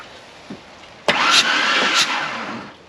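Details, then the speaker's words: 1996 Ford Ranger 3.0L V6 with misfire, cranking with plug removed and a makeshift compression check: a short burst of fast, even cranking, even on the misfiring side; all cylinders hold decent compression. "it's pretty good too they all have decent compression"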